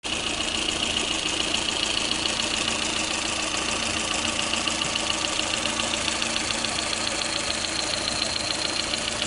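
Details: Lada Kalina engine at idle: steady idle with a sharp metallic tapping about two per second in the upper pitches; engine knocking.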